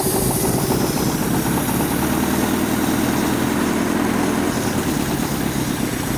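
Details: 1985 Toyota pickup abandoned 20+ years in a junkyard, signal generator replaced, started via cheater wire with the throttle cable missing. It catches and settles into a loud, uneven, lumpy idle with shaky rhythm: rough running after a hard start.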